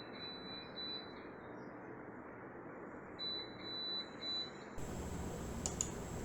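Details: Crompton BLDC fan controller emits short, shrill beeps in quick bursts of three to five with quiet gaps, signalling a fault; cause unclear.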